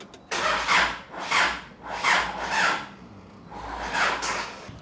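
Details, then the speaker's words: Isuzu 4JJ1 diesel swapped into a Nissan Patrol, first start attempt with an extra lead and battery, no oil at turbo yet: slow heavy whirring pulses about every 0.6 s, three to four turns then dying down, never catches; slow cranking, cause unknown. "it's turning enough to probably start it like it's doing about three to four full turns and it starts dying down a bit"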